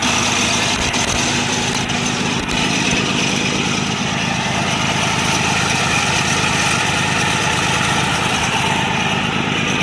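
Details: 1948 BMW 321 on its first start after 20 years, cylinders given WD oil a week earlier, carburettor not original, 12V electrics: catches and settles into a steady, even idle with no knocks, misses or rattles; normal idle.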